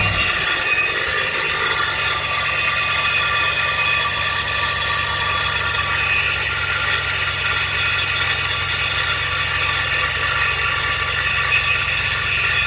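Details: GMC starter: constant high metallic grinding whine over idle after startup; starter gear not retracting and staying engaged on the flywheel.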